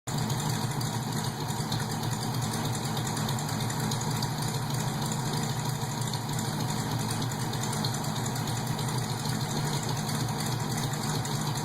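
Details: Steady idling engine with a faint, uneven ticking puff over the deep engine note, from an exhaust leak.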